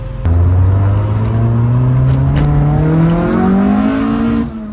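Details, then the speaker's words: Old Corolla with an engine swap and a loud under-hood fuel pump, on a drive: strong four-cylinder note climbing smoothly through the revs, no stumble or knock; sounds great, yet not going anywhere. "It sounds great, just not going anywhere."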